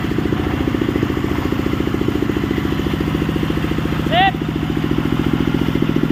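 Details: Sawmill (serkel) engine in a running test after work, electric-started: even, steady thump at about three and a half beats per second with no knocks or misses; runs healthy.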